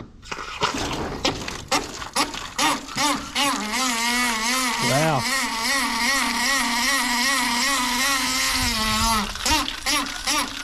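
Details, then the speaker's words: Garden hose tap on a test post, water on, making a loud warbling duck-like honk with rushing water; water hammer from a jumper washer stuck tight in the tap body, slamming the valve onto its seat. "so the wash is stuck because it's so tight in that tap body because that washer face is being squashed out when the water's trying to push up through from the bottom it automatically slams The Tap valve back down on the seat"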